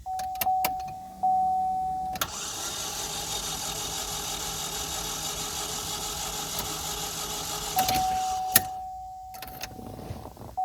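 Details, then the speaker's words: Salvage car that spins with fast, even, free cranking and no compression pulses, never firing, after a door chime and fuel pump. Owner suspects the starter is not engaging or there is zero compression, possibly from removed spark plugs. Unconfirmed. "Almost sounds like a starter, but it sounds weird. It's like the starter's not engaging, or we have absolutely zero compression."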